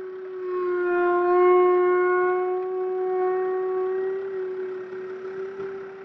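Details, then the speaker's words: Rear brake caliper noise on a Mercedes-Benz Viano W639: steady, low horn-like howl when lightly braking or throughout the trip, from dirt or strain in the caliper guides; grinding marks on the disc bottom, wear of pads and discs. "this very audible noise comes from the brake caliper when lightly braking or even during the entire trip excessive dirt or strain in the guidance system of the caliper are possible causes"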